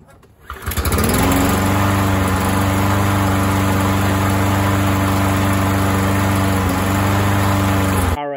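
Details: Running of an MTD 21-inch push mower with a 140cc engine, after repair following a couple of years sitting, on a 95-degree day. It catches on the pull, settles into a steady governed speed with no hunting or misfire, and shuts down cleanly: normal running.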